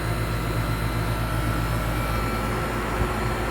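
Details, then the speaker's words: 1998 4-ton 10 SEER R-22 condenser, new dual-run capacitor, dirty coil not yet washed; high side line very hot, superheat 42°; steady hum and even fan whoosh, no knocking; normal condenser running. "So it's kicking out some heat."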